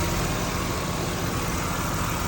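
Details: 2006 Ford F150 idling with A/C on after fan clutch replacement fixed high A/C pressures; pressures now 40 and 250, cabin in the 40s °F; steady, even idle under a strong fan rush with no knocks, ticks or misses.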